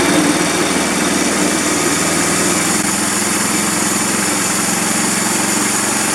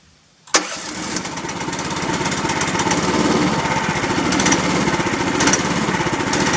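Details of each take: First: 13.5 HP Briggs engine, plastics off, after ultrasonic parts washer cleared the blocked carburetor idle passage: steady even idle about 220 pulses a minute, no hunting, surging or dying; running properly after repair. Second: 13.5 HP Briggs engine with air filter and breather off, after spray carb cleaner and compressed air failed: catches and runs unevenly about eight seconds, sagging instead of idling, then dies; owner suspects a blockage in the carburetor idle circuit.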